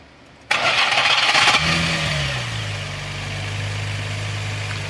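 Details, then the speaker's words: Nissan 350Z during a differential bushing install: harsh grinding rasp while cranking that stops once the engine catches and settles to idle, heard only on start and seemingly from the flywheel; starter engagement grinding suspected, not confirmed. "like it's coming from the flywheel. That grinding, that's the only time you hear it."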